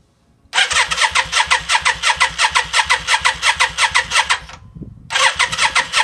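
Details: 1992 Yamaha Virago XV535 just after engine rebuild, fuel primed and float bowl full, plugs fitted: starter cranks in steady bursts, about three pulses a second, never fires; no spark on either plug, suspected broken wire or bad connection.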